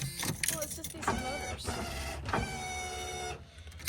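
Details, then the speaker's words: All-original 1982 Camaro power window, new switches already fitted, window sometimes stops working: motor whines in short strained, labored, uneven runs with stops between; noisy power window motor, likely worn, replacement being ordered. "I bought new switches for it. I know, I saw that. It doesn't sound very good."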